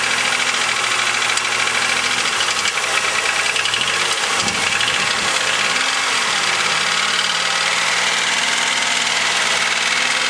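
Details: 2000 Chevrolet Malibu 3.1 V6 with 145,000 km, at idle with a brief rev blip: dull rapid lower-end clatter, worst on cold start and only slightly better warm; owner suspects piston slap, unconfirmed; engine knock at idle.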